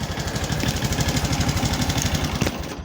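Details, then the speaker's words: Honda Supra X 125 whose engine had a loud, harsh clattering noise, after repair: steady putter at about ten beats a second with a faint leftover clatter, fairly smooth but not perfectly; an acceptable idle. "jadi Sudah suara mesin yang sedikit mulus namun tidak terlalu mulus ya oke"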